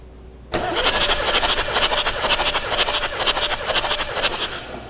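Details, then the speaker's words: Diesel engine with no fuel supply, cranked by remote starter with compression gauge fitted: quick, fairly even compression pulses over four strokes, no firing, no weak cylinder obvious by ear; low compression suspected, not confirmed. "I'm going to crank the engine and let's listen for the audible tone of the engine grunting through the compression stroke 4 times, and we'll look at what the gauge has for pressure."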